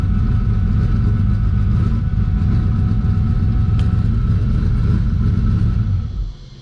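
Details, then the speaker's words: Twin-turbo Mustang Cobra that sputters once reaching 180 degrees: low, lumpy, loping idle before cutting off, unchanged with the part disconnected; rough idle, owner suspects the IAC valve. Cause suspected, not confirmed. "i mean exactly the same thing there is no difference whatsoever so that leads me to believe that maybe there's something there so time to check that out now so i'm thinking maybe the iac valve is my issue"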